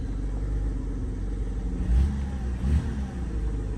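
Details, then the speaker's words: BMW 325i E90 with the N52 engine, after many parts were replaced: a deep rumble rises under revs with a rough, stumbling beat instead of a clean pull. The misfire persists; the owner suspects the crankcase ventilation (CCV) system. "Okay, this time started better, but it's still misfiring. So yeah, as you can see, the car is still misfiring."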